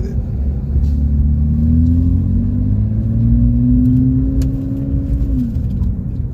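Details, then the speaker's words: High-mileage BMW 335i with its clogged catalytic converters cut out, heard from inside the cabin with the sunroof open: a loud, deep exhaust drone that rises and falls with engine speed. "as you guys can hear I don't know if if it comes out on video but the car has no cats um the cats that was on the car was clogged so I just decided to like I don't know when I went to the uh the exhaust shop I just told them to cut it off"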